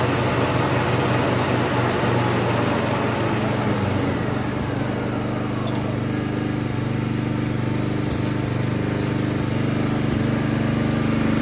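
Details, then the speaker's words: Toro Turfmaster mower after a carburetor replacement, running with the blades engaged: a steady, even single-cylinder drone with no surging or hunting. The faulty carburetor was the cause, and the new part fixed it. "All right, guys. There you go. It was the carburetor. Easy fix."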